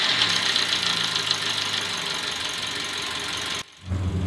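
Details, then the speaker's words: Toyota Calya engine right after start-up: a harsh, uneven run with a ragged hiss. Rough running is from heavy sludge in the cylinder head, blamed on counterfeit oil. "ini contoh mesin Toyota Kalia ketika kita hidupkan terdengar suara mesin yang sangat kasar"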